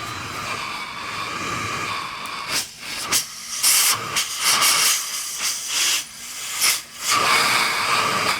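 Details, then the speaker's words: ResMed CPAP machine, just under 5 years old: steady airy hiss with a thin constant high whine from the blower, before disassembly and diagnosis. "got a bit of a wine to it and uh might not seem like a big deal but uh when you're sleeping it is and to the people that you're sleeping with it is"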